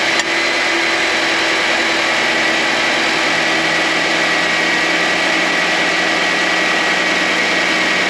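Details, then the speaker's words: 2022 Nissan Sentra SV, engine cold just after start-up, with climate control on for heat or defrost: a steady, fixed-pitch hum after the engagement click; owner suspects the A/C compressor, not confirmed. "this seems to be more of a humming noise and it's only when the engine is cold so when I first start the car and put on the climate control for the Heat or the defroster I can hear I can hear the engagement but it does make a little bit of a humming noise"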